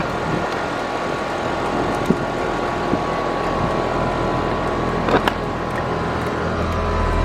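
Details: AC condenser on a no-cooling call, restarted after rewiring fan common to contactor with hard start added; compressor rated 19.9 A, fan about 1–1.2 A. Steady hum and fan rush with faint constant tone, no clicking or buzzing: normal running.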